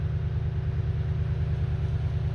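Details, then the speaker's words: Toyota Tundra after fuel pump driver module replacement (previously crank-no-start, hard start, rough idle): smooth even rumble at slightly fast idle gently settling, no misses or stumbles; running normally. "Let's wait another second. See how she's going to run. Well, it seems to be running good now."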